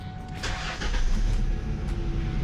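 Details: Mustang starting after alternator replacement, battery warning light had been flashing; starter cranks briefly, slight lag, then engine catches and settles into steady low rumble with no stumble or misfire; doing good so far.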